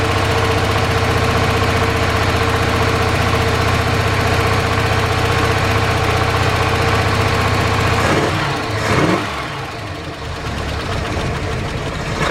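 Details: 1978 Dodge D150 after fixing top-end lifter tick following cam and head swap (new lifters): even, steady idle with smooth low rumble, no clear ticking until shut-off; small exhaust tick suspected; normal idle.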